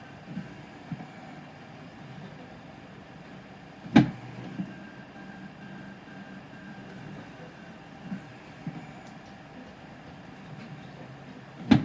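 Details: Prusa SL1S resin printer: on some layers the tilt mechanism struggles and bangs loudly, two sharp bangs about eight seconds apart with softer knocks over a steady motor hum.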